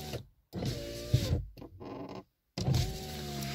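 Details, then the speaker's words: VAZ 2115 power window before repair, car freshly washed: motor whine with a dragging, squeaky groan on each stroke as the glass binds in a dirty seal channel; fixed by cleaning and silicone. "окон смысле ребята когда я поднимаю либо пускаю стеклу посторонний звук сейчас как бы помол помыл автомобиль сейчас она скользит и этого постороннего звука не так слышно но тем не менее мы проблему сейчас как бы будем решать"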